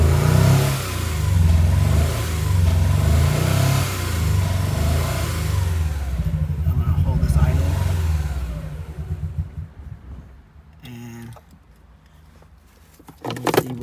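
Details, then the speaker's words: 1999 Honda Prelude, 113k miles, shuts off when warm: with throttle held wide engine stumbles, labours lumpily and dies after about nine seconds, strong fuel smell; running flooded rich, cause suspected. Rough running, stalling. "you smell gas yeah yeah so immediately you can smell a lot of richness"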